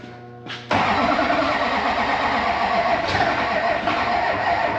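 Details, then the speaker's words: LB7 Duramax diesel after installing used injectors; starter cranks steadily, engine almost catches but won't fire and run, starved of fuel from air in the fuel system. "That sounded like lack of fuel. Yeah. It is. It's got a bunch of air in it."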